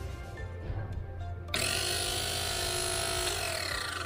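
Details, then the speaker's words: 019 60mm flat-burr single-dose espresso grinder set at its finest setting (0); spins up with a harsh, scratchy ringing instead of a smooth hum. The burrs are rubbing, so it must be opened one click clockwise until it sounds smooth. "We need to hear a smooth sound on the grinder before we start. The sound is not smooth, so we need to adjust it by one click."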